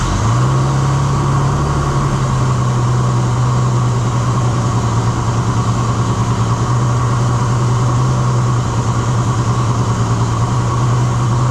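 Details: Holden LX Torana 202 six, rebuilt with adjustable roller rockers and Holley Sniper, run briefly without rocker cover or water pump to check rocker adjustment. Steady, even idle with a smooth hum and light ticking from the exposed valve gear. Runs cleanly.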